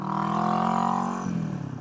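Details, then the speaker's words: 1970 Honda CB450 twin on a test ride: strong, even drone under load that eases off cleanly as the throttle drops, with no misses; runs well, normal running. "you guys can hear there, I mean, it runs good. It runs good."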